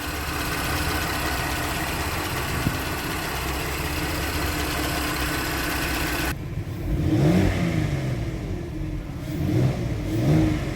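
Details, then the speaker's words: Porsche Cayenne VR6 after PCV repair, warm with engine at 90°C, oil at 78°C and 1.9 bar oil pressure: the engine revs up and falls back twice, cleanly, with no stumbles or whistles; runs healthy. "الفي ار 6 كيتكلم اخاي، بومبات ليسانس كتكلم. نغمه موسيقيه فنيه. دورات الموتور مكانه."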